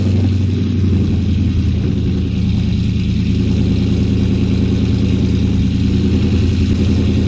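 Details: 2018 GMC Sierra 6.2L V8, slightly warm, started after Kooks long-tube header and off-road Y-pipe install, cutout closed so exhaust runs through the muffler: deep, even burble, steady firing, no ticks or knocks; normal idle.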